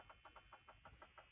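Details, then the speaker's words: Ferrari 360 with flat battery after weeks off a tender, trickle charger just connected, engine off: faint quick electronic chirps about six per second; immobilizer and fob unresponsive; cause unconfirmed, owner hopes it's charging. "the battery died I think so I put my trickle charge into it I connected that and it's doing this weird thing can you hear"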